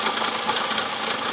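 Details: 2004 Toyota Camry at idle with the oil filler cap removed, thin clattery idle with uneven pulses and stumbles; engine shakes and lacks power from a misfire, being found without a scanner.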